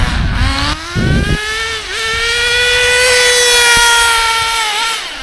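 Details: Acme Condor Pro A3001T 1/10 nitro RC buggy, circa 2002–2005, unrun for almost 20 years, engine preheated, driving on road: clean high buzz climbing and holding under throttle, smooth and even with no misses, though owner noted some funny noises.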